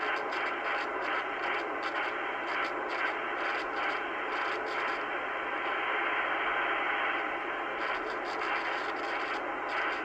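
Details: Radio hiss broken by irregular crackly scratching as a dirty, scratchy dual gain control potentiometer on an 80s ham radio is worked, being cleaned with spray instead of DeoxIT.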